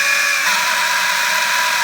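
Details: Parkside PABH 20-Li B2 cordless hammer drill, four months old, running with a steady high-pitched motor whir and a thin tonal whine on top that shifts briefly; a strange noise inside the drill, cause unknown.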